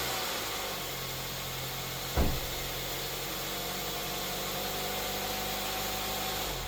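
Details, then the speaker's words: 2008 Mazda 3 after an engine swap to a junkyard engine, second fire-up idling: steady, even engine note without misses or knocks, one brief thump partway through; sounds like a healthy running engine. "Second fire up of the project from hell. This is to prove that it is working and that it sounds good."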